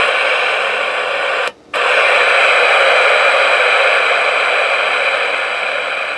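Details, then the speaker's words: Elenco FM-88K beginner FM radio kit. Once built, it gives a loud steady hiss with a brief dropout and no stations at all. A wrong diode value is suspected but not confirmed: FM receiver hiss with no stations. "definitely turning it's putting out a lot of noise but no stations"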